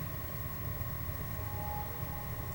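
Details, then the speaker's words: Xbox 360 fan after repair of fans getting progressively louder from overheating, reassembled with game stopped; steady even whoosh with low hum and faint fixed tones, no surging or rising speed. Normal fan noise. "put it all back together again and it still seems to be working normal fan noise it's not speeding up or anything"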